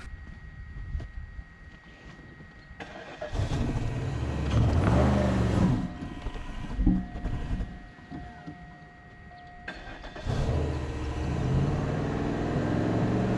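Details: Worn-out 2004 Cadillac DeVille, starter turning over again, sprayed with starting fluid, battery charger attached: uneven cranking bursts that briefly catch and fade; struggling to fire and keep running, cause not confirmed.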